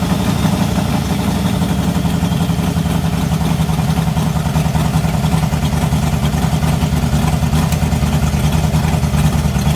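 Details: 1986 Mustang GT 5.0 V8, stock '90 shortblock, B303 cam, ported E7 heads, long-tube headers: deep, loud, lumpy rumble at steady idle with no misfire or knock; runs normally.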